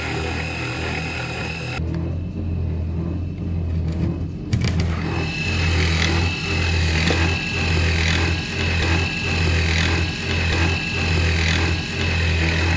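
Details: CNC1310 desktop router machining steel after an encoder upgrade on its stepper motors to prevent step-out, running at higher cutting settings: a steady spindle whine with even cutting pulses about once a second. It cuts smoothly.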